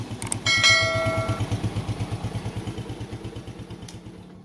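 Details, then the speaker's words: Yamaha Jupiter Z1/Vega ZR single-cylinder, freshly rebuilt after a scored bore and piston and worn valve stems: light throttle only, not revved hard; even putter with regular beats and no knock or rattle after a brief metallic ding; normal idle. "Nah, oke, teman-teman, jadi ini suaranya sudah normal lagi."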